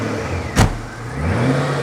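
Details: Supercharged Ford GT after repair, first start, about 5 gallons in the tank: sharp catch, then steady low rumble climbing evenly with throttle, no engine lights; clean normal start and rev.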